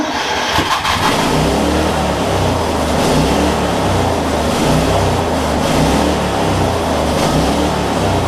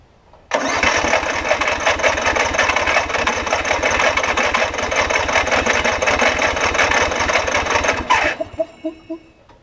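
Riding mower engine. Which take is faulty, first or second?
second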